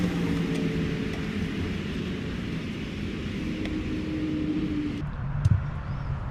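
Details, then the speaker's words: Mercedes W212 E350 after replacing the cabin blower motor, whose old unit had damaged bearings and squeaked: soft, even hum with a faint steady tone and no grinding or chirping. The new blower is very quiet. "the new blower motor is unbelievably quiet silent I mean honestly it makes a big difference"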